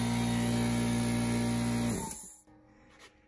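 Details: Craftsman 919.165200 5 hp oil-free air compressor, after replacing a bad capacitor and rewiring the motor for the 220 V cord (it had popped the breaker or run only seconds): steady, even motor drone with no knocks or rattles, then a clean wind-down; running normally.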